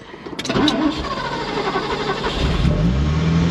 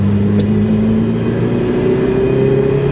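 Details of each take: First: Ferrari 308, first start in 15 years, hot engine after throttle cable loosened and idle adjustment backed off: cranks, catches and settles to a fast, steady idle that stays high; not enough adjustment yet, cause suspected. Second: Ferrari 308 driven after 15 years off the road: even exhaust note rising under load without stumble or popping; pulls sweetly in the mid-range after 2,000–2,500 rpm, though it misses at the low end.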